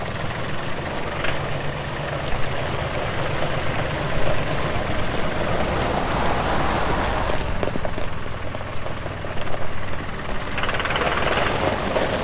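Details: 2018 Massey Ferguson 2605H 4WD compact tractor, 310 hours, 8-speed mechanical shuttle: deep, even diesel rumble holding steady through the work, no knocks, misses or rattles; normal healthy running.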